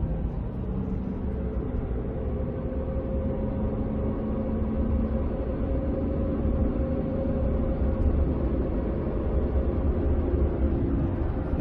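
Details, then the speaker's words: 2005 Ford F-150 with 9.75 rear axle, about 116,000 miles, cruising from 20-30 mph: thin steady whine climbing with speed, lessens but stays when lifting off; failed rear differential pinion bearing. "get higher in speed hear it and if you let off it kind of goes away but it's still there that's how you know it's a bearing noise not just a gear noise"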